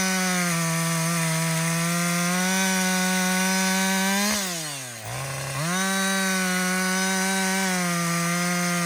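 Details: Husqvarna 562XP 60cc chainsaw, after a dealer reflash of its software for dying when hot and stumbling, bucking windfall: strong high scream bogs briefly as the chain bites, snaps back to full speed; normal under load.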